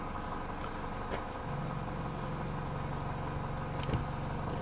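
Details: 2011 Mini Cooper S after fault codes cleared: steady, even idle hum with low rumble, no misfire stumble or ticking; engine sounds smooth and healthy.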